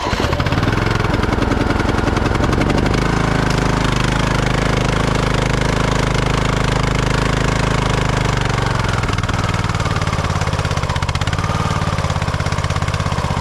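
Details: 2008 Husqvarna LTH1538 lawn tractor, jump-started with a battery jump starter: steady single-cylinder chug that falters and sags, then cuts out. A seat or brake safety switch was first suspected; it turned out to have run out of gas, with the fuel below the pickup.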